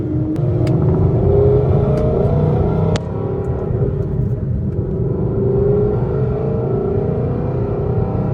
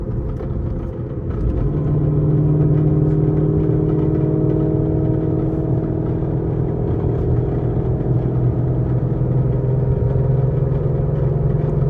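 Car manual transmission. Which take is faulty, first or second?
second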